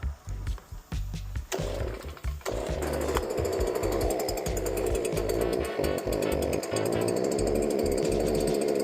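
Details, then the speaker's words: STIHL BG86 hand blower that starts and runs but won't rev up or make power: a few pull-start tugs, then a flat low speed that never climbs, caused by a completely clogged spark arrester screen. "Customer states that it doesn't rev up. It starts and runs, but don't rev up."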